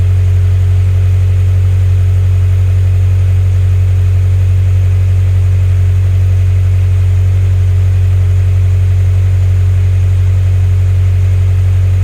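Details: Turbo Scion FRS boxer engine after spark plug replacement, a cracked plug ceramic suspected of causing misfires: deep, perfectly steady idle for twelve seconds with no misses; healthy.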